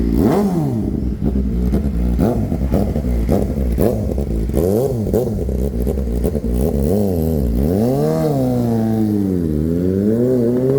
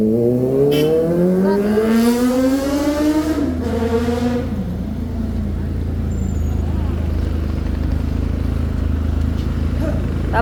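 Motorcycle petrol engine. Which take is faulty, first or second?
first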